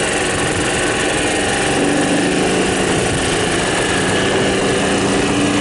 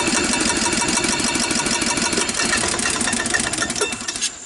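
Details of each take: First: 1993 Club Car golf cart engine with the governor still fitted, new starter, a much-redone carburetor and a small garden-tractor battery: high, even buzzing drone at wide-open throttle, held at one steady pitch by the governor; runs cleanly. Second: 1993 Club Car golf cart, sat unused, micro switch bypassed and transmission in neutral: engine fires with a ragged beat for a second or two then dies; owner suspects carburetor sludged up from sitting.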